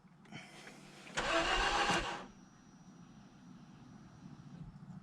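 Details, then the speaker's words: Mazda 3 that lost power below 65 mph with warning lights and later coolant loss: about a second of quick, light cranking that never catches, then a faint fuel pump hum; easy spin points to low compression, compression and leak-down tests planned. "but it won't start now and i'll show you what it does so i'll try to start it that's all it does it's"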